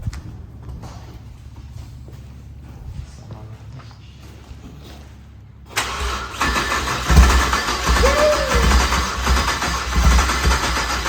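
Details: BMW 335xi with built motor, JB4 tune and port injection, first start after fixing an unplugged terminal 50 starter wire: quiet spell, then catches at once and settles to a steady, even idle with no stumble or misfire; healthy start.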